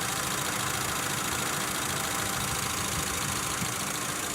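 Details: 1992 Geo Tracker, hot engine after thermostat replacement with broken rusted housing bolts repaired; warm engine ticking over at an even idle under a steady hiss of fan and air, no misfire or knock, and the cooling system is holding pressure.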